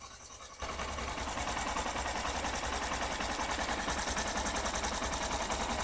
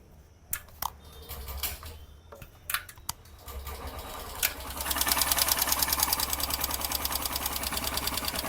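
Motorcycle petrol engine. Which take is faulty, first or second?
second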